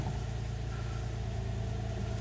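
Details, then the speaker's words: 2003 Nissan Altima VQ35DE V6 idling after a timing chain tensioner repair, idle settling down a little as normal, smooth with no tick or hesitation and no check engine light; healthy. "but it running it's purring like a kitten listen to that just the way God intended isn't that beautiful down a little bit but that's normal not even so much as a [ __ ] tick or a hesitation"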